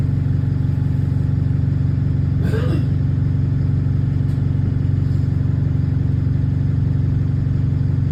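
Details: Bus 36545 (LX12DJO) on route 314: deep, steady diesel drone with a regular chuffing pulse, about three a second, from an exhaust leak.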